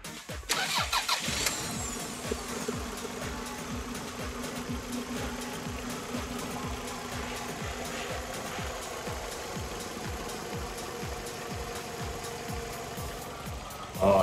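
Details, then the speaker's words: Toyota RAV4 after engine overhaul: cranks, catches quickly and settles into steady even idle with no knocking, where it knocked before; normal idle. "Ayan mga kapatid nakita niyo yung rub 4 na may katok ngayon wala ng katok"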